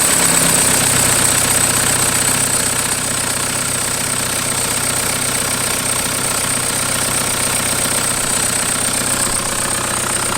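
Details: 1991 Toyota pickup with swapped 1.9 L ALH TDI turbo diesel from a 2000 VW Jetta, warm with oil cooler thermostat opening. Even diesel clatter at idle and revving, steady rhythm, no misses or knocks; running normally.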